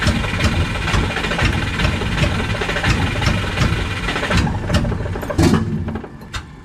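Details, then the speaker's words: Subaru with a no-start issue, starter boosted by a 100 amp charger for extra cranking voltage: uneven cranking chug about 2.5 beats a second with a sharp backfire pop near the end and no catch; owner suspects timing. "So it just backfired out of my thing, so it might be something to do with timing."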